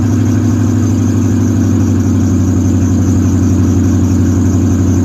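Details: Car engine idling with a steady low rumble and no ticking or puffing from the exhaust: normal idle after an exhaust leak was fixed.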